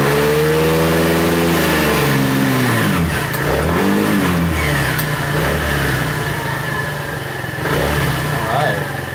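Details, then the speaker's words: 125 scooter after carburetor work, battery needing replacement: a couple of blips drop back to a steady, even idle that holds without stumbling; small engine sounds healthy. "i like the auto right there it sounds good it's a good idle"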